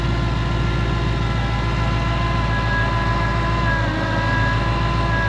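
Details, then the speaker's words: 2012 Ford Mustang GT 5.0 V8 with a "Check Charging System" warning, heard at idle in the engine bay: steady idle with a faint whirring whine tracking engine speed; after ruling out the belt, idler and tensioner, the alternator is failing. "So, I don't know if it's the idle pulley, the tensioner pulley, or the alternator. So, we're going to check it out."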